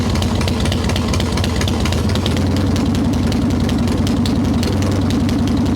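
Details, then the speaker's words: Evo Softail V-twin, ice cold, no choke, after fixing loose intake bolts, a cracked vacuum cap and the idle speed screw; mixture screw not yet adjusted. Steady, lumpy idle with even firing, idle returning properly; healthy. "holding a nice little idle we have not changed the mixture screw it's not warming enough to mess with that yet but this is what it's supposed to sound like idle returns like it's supposed to"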